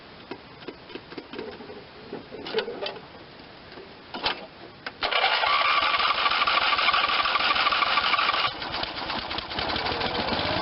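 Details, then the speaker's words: 1986 Lawn Chief 300 riding mower, 8hp Briggs and Stratton single, an auction buy run on gasoline before its carburetor is cleaned: after clatter and handling knocks it settles into a steady, even buzz of about three beats a second; runs fine, a promising motor. "what that sounds good so I'm going to take the carburetor off give that a hundred percent cleaning and see we're at I think this is going to be a good motor"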